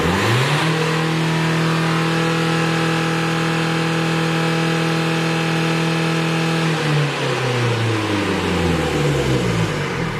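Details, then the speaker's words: 2016 Renault Kadjar 1.5 dCi, complaint of not revving since a service, free rev test: diesel climbs cleanly from idle, holds high revs, drops back smoothly with no hesitation or flat spot; revs freely. "And as you can probably hear, the engine revs freely."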